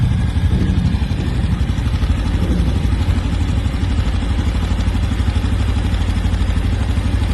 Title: Nova Honda Biz 125 ano 2025 BARULHO NO MOTOR !!!